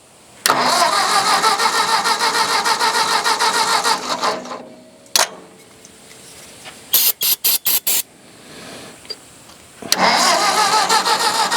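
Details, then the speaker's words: Old Ford tractor, possibly an 8N, after ether: two spells of steady starter churning with clicks, never catching; the starter kicks out when cranking, and the carburetor is suspected, not confirmed. "That sounds worse, don't it? Let me turn the throttle halfway. Yeah, you're right about that starter. When it cranks, it kicks out. Okay. We'll have to work on the carburetor."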